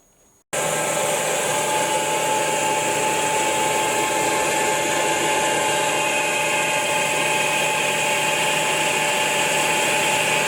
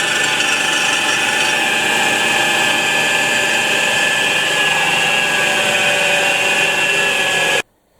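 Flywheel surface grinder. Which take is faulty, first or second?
second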